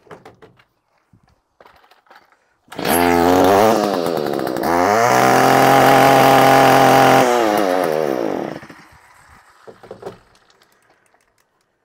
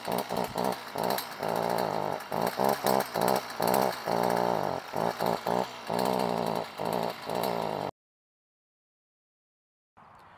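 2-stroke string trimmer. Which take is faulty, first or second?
second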